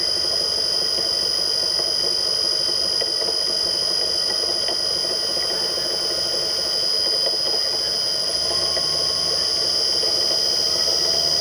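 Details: Millport/Bridgeport mill motor with rusted, worn-out bearings (6206Z bottom, 6205-2RS top); steady high-pitched whine and squeal over the motor hum, continuous throughout.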